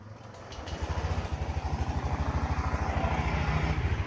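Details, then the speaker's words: Honda Beat Deluxe (about 2023–2024), nearly new, after tightening loose coil and TPS sockets that caused sudden stalling and hard starting: quick start into steady even putter, about 1300 rpm on scanner, zero throttle; normal idle. "Dan setelah saya e merapatkan soket koil sama soket apa namanya? TPS yang tadi motor bisa hidup normal tanpa kendala dan bacaan datanya di sini lancar bagus ya."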